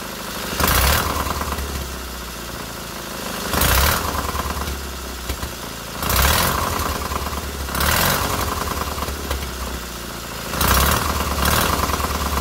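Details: Freshly rebuilt K750 twin-cylinder motorcycle engine after first start, ignition problem fixed: steady low idle, blipped every two to three seconds and settling back cleanly; both cylinders firing evenly and heating equally.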